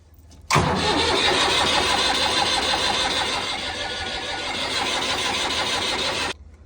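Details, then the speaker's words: Mustang diesel tractor with rotary injection pump, after bleeding air from the fuel system: steady starter churning about three beats a second for six seconds, never catching, cranks but won't start; owner plans to check diesel supply and air in the pump. "ભાઈઓ આપણું Mustang ચાલુ થવાનું નામ લેતું નથી. ગમે આગળ તકલીફ હોય આપણે ફોલ્ટ આનો ગોતવો બહુ જરૂરી છે."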